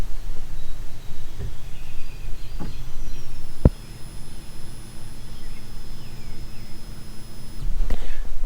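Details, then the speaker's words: 2014 Sea-Doo GTX 215 with no-start and hesitation at speed, fuel pump activated by diagnostic test with GoPro inside: a click, then a thin, steady high-pitched hum about four seconds; pump works. Fault traced to fuse box corrosion. "I'm going to put the GoPro in just so we can hear if it's actually pumping or not."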